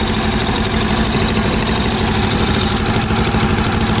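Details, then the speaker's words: Honda Beat carbureted 130cc scooter after over two years of use, first start after rework with a temporary leaking exhaust: smooth, even single-cylinder idle with slight exhaust puff and wind hiss; engine runs cleanly. "Tapi ini hidupnya halus, Guys. Halus, ya. Suaranya halus banget asli."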